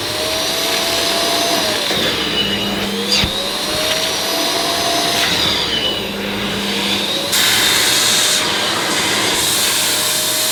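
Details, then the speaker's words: Ufesa Zelmer 4-in-1 vacuum's suction motor picking up dirty water with the small head on rubber-backed carpet: high roar dipping and recovering every few seconds, the motor surging because the carpet seals off the nozzle. "Now you could hear the motor cutting in and out as it does when the end of the nozzle is blocked, but that's because this is a rubber backed carpet, so it was blocking off the suction."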